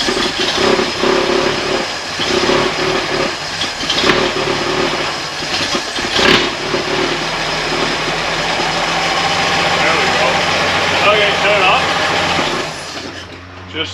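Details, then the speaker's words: 1964 Chevy II Nova, first start in months after a brake rebuild, with a small fuel leak: the starter churns steadily and the engine catches briefly, then fades without idling. The fuel pump is just starting to pick up fuel, felt pulsing. "started picking up fuel there I can feel a pulsing so that's good"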